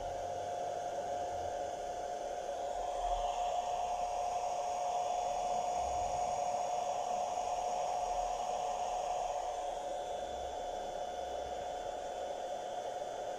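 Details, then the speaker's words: Cheap 500 W inverter with load plugged in, fan lacking automatic control: constant airy rush with steady thin tone; cooling fan at full speed before it is silenced with the added switch. "so friends we are at the test spot I have plugged the load with the inverter and then on the inverter currently the fan switch is on so you are listening to the fan noise"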